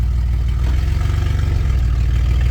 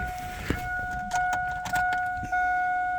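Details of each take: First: 2000 Chevy Blazer first running after a new distributor cap, rotor and coil wire, idling in gear with the ABS light on: deep, loud rumble with a puffy low pulse; owner suspects a holed muffler. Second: Vehicle after a new cap, rotor and coil wire (corroded points): several short cranking bursts, then it catches into a steady low rumbling idle; it runs and takes gear, but the muffler possibly has a hole and the ABS light is on.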